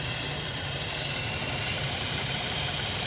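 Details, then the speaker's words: Cheap Copart purchase car with timing-chain codes, idling under the hood: light, fast, fairly even ticking with no chain slapping. Owner suspects lifter tick, possibly normal for these engines, nothing conclusive. "Usually when cars have really loose timing chains, enough to throw codes, you can hear them slapping, and all I hear is a little bit of ticking."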